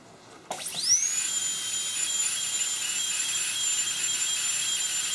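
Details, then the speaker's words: Inovadent dental unit high-speed handpiece turbine run after cleaning with Bio-Lube cleaner and oiling with nano lubricant: brief hiss, then a clean high whine climbing fast and holding steady, sounding smoother and picking up speed; normal running. "And when I press on here, you'll hear it, the singing of that turbine will change a little bit to a more of smooth. You can hear it pick up speed."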